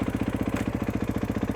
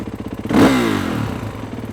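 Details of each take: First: KX450 with a Rekluse Radius CX auto clutch, idling in gear after free play gain was reduced: steady, even thumping of about nine or ten beats a second with no surging, stumbling or lugging; the clutch no longer drags. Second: now i'm going to hold the front brake because i know it's going to jump forward but if i click it into gear now that it's really trying to hear lugging down the engine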